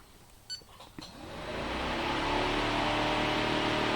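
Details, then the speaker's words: Nissan X-Trail with fluctuating temperature gauge/overheating: beeps then cooling fan spools to loud steady roaring whoosh with rough hum on low-speed test; suspected worn fan bearings, unconfirmed. "It's a pretty noisy fan though, isn't it? You can hear it clicked in, but it's I wonder if it's a bit worn on its bearings or something. It's quite noisy."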